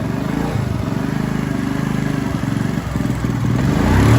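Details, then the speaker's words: acelera vai acelera para p volta Ó tem uma falhada aí não foi ó então pode ser a vela "acelera vai acelera para p volta Ó tem uma falhada aí não foi ó então pode ser a vela"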